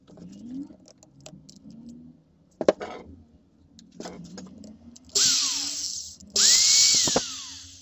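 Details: Old angle grinder after repair with graphite brushes cut to size from spares: a sharp spin-up to a high, even whine, then a clean falling coast-down with no grinding or sparking crackle, normal running.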